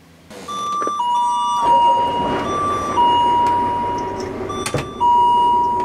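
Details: Skoolie school bus air brake system, key on while air builds: doorbell-style two-tone low air pressure warning chime, installed in place of the buzzer, keeps ringing and shuts off around 60 psi.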